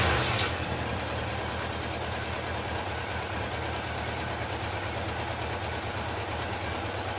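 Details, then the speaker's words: Honda CB750 F2 four-cylinder motorcycle, stood damp over winter, after replacing the fouled spark plug: steady even idle with a smooth exhaust note and no popping or stumbles; misfire cured. "There we are, no more popping. No more Mary Poppins."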